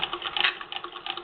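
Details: Singer model 66 sewing machine, converted from motor to hand crank with spoked hand wheel, cranked by hand on work table: light, quick patter of even clicks from needle and feed, nothing dragging or catching; running freely.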